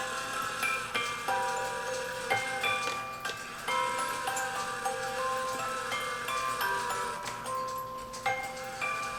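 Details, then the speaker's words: Music box comb on an E. Schmeckenbecher Nuremberg church clock, repaired with 3D-printed parts, plays a soft thin plinking tune with faint ticking; teeth barely plucked, weak strike as the comb sits too far from the drum. "you can hear it's not hitting very strong but personally because it's gonna be my clock I don't know that I want it that strong"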